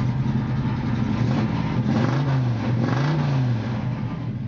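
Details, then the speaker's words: 1979 Chevrolet pickup with a fresh 383ci V8 (about 100 miles, still breaking in), cold on arrival, heard from behind at the tailpipe: clean start, then a low, even burble with two light blips and no popping; healthy. "donc on va mettre en marche ici voilà démarrage impeccable on l'entend un petit peu derrière"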